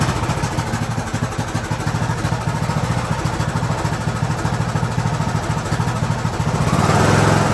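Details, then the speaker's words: Craftsman YT3000 riding mower, blown engine replaced with a donor engine, first start on fresh fuel with jumper pack powering the fuel solenoid (no battery); smooth, even idle with steady low thump, sounds healthy. "Smooth. Well, so far I would call that a win."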